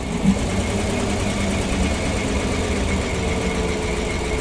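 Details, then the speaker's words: PAZ-672 bus GAZ V8 idling after valve adjustment with valve covers fitted: soft even idle, steady rhythm, no sharp tapping or knocking; earlier knock gone, normal idle. "Такого стука, как был, я не слышу. Звук. Мягенький, красивый звук работающего V8."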